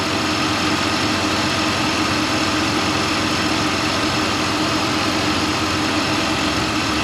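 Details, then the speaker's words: 2003 Chevy Suburban (GMT800) after AC clutch replacement for a shorted clutch coil blowing the fuse: steady idle with AC running, original compressor quiet with no knocking or grinding. "It's a good compressor. Maybe slightly, but it definitely is not noisy. That's why I didn't want to replace it."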